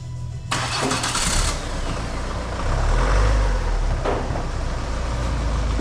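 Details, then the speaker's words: 2014 Ford Kuga after repairing a rattly metallic engine-area noise without replacing the alternator: starter turns briefly, engine catches cleanly and settles into a steady even idle, no squeal or rattle; sounds like new. "anyway there you go that car now sounding like brand new"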